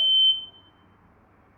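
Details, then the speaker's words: Smoke alarm giving shrill high-pitched beeps about a second apart with no fire; the owner suspects hot-water steam from the shower set it off. "can we just annoyed how there's no fire and no fire is from the hot water in the shower huh maybe it's a ghost"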